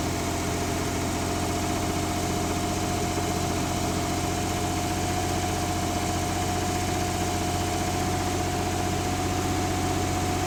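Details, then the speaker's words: 1970s Mercruiser sterndrive (slight float drip) being winterized, after a little throttle: a steady, even low idle with a smooth beat and no misses, knocks or rattles; warming up with oil pressure and charging good; normal idle. "ah it's starting to warm up got an oil pressure going and we got some charging going which is good"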